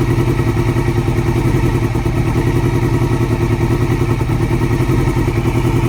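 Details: 2002 Yamaha R6, ticking present since purchase, cam tensioner already replaced with a manual APE unit: light, uneven ticking about three to four per second over steady idle from the cam area; owner fears valves, cause unconfirmed.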